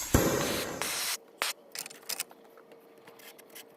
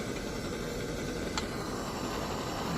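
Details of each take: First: 1948 Major 236 lantern, bought disassembled: strong hiss of pressure escaping back through the pump check valve as soon as the thumb leaves the pump, already blew a hole in the mantle; check valve stuck open. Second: 1948 Major 236 lantern after cleaning the gunked, stuck-open pump check valve: even steady hiss with no sputter or surging, holding pressure and burning bright at about 300–400 candle power.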